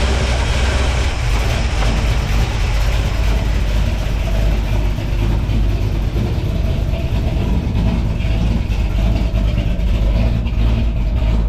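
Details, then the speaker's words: V8 truck with freshly goop-sealed exhaust header flanges idling with an uneven, loping beat and slight stumble every few turns; slight miss, first suspected bad plug wire, then valve train suspected (number seven possibly misadjusted or a wiped cam lobe). "sounds like it might be a slight Miss in it might have a bad plug wire"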